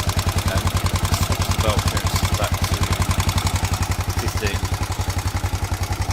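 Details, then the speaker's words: Honda XBR 500 single idling at 1300 rpm after resetting valve clearances (intake 0.10 to 0.15 mm, exhaust 0.12 to 0.19 mm), which cured stalling; sharp regular tapping on every exhaust beat, too noisy from loose exhaust clearance; owner plans to return exhaust to 0.15. "so standard was 19 for the exhaust no stad was 12 for the exhaust and i've now got switched to 19 which seems too noisy"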